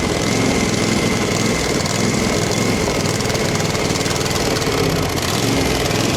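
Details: Craftsman FS 5500 lawn tractor before its carburetor was cleaned: the small single-cylinder engine runs rough and uneven with a steady mid-pitched clatter; the owner says there was dirt in the carburetor.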